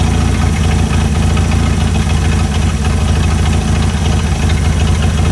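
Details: Chrysler CM Valiant Hemi 265 on its second start, idle set while fitting belts and radiator: steady, even idle with a constant low pulse and no misses; perfect idle, purring.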